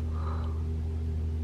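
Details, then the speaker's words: 2021 Toyota RAV4 Prime SE in EV mode at 3 a.m., 42°F outside, heater on right after start: smooth steady low heat pump hum at one pitch, no groaning or honking, loud startup noise not reproduced; normal. "no it won't make noise anymore man this is the heat pump humming"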